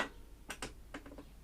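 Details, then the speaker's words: Trash-picked lawnmower that sat about 40 weeks, engine off: quiet, sharp rickety clicks as the dead man lever is pulled. The kill switch isn't clearing and needs adjustment. "that open will touch more that clicking noise so that's what it is listen hang up there that's so so rickety so effectively that's the noise you're after hear it put on pull that dead man in it's not cleared it"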